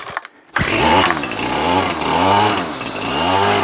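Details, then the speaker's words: Ryobi Grass Scorpion RCT-2800 two-stroke trimmer after fuel line and primer bulb replacement, still warm, a little throttle on start: fires first pull, revs rise and fall cleanly three times without stumble; normal warm start. "when it's warm it should start up straight away so let's see how we go it's still warm we'll see if it starts"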